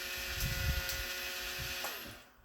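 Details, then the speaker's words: Lemax Giant Swing Ride toy, with the drive motor exposed: loud high steady whirring buzz dropping in pitch as it coasts down; motor spins fast but is far too noisy and is to be replaced. "It's spinning fast, it's good. It's just loud. So loud. Like, so loud."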